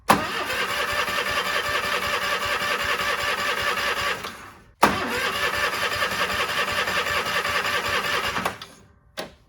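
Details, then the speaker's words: Cub Cadet 1430 lawn tractor abandoned for years, after briefly running and surging: two cranking bursts about four seconds each, never catches; later found a plug in the fuel system; no-start from fuel blockage. "I found out that uh we had a plug in our fuel system"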